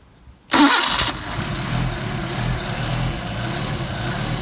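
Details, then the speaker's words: Mercedes 190SL with rebuilt Solex 44PHH carburetors, cold start test at about 56°F: fuel primed with pump lever, one throttle squirt, choke on; brief crank, catches at once and settles into a steady, even idle; clean cold start. "Now, I don't guarantee they'll start every time like that, but you drive the car often enough and they should. Not bad for a cold engine."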